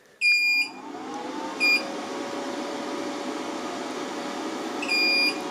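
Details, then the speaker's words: LaCie Biggest FW800 at power-on with its screen flashing: three long high-pitched beeps of different lengths over a steady fan hum. Alarm beeping; cause unknown. "it's saying something on the screen no it's gone oh well so it looks like there for a couple of seconds it was actually booting up"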